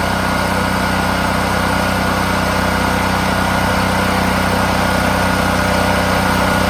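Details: Firman H05751 dual fuel 5700 W generator, first start during break-in, no load, fresh Mobil 1 synthetic oil: steady, even drone, no misses, knocks or surging; normal idle.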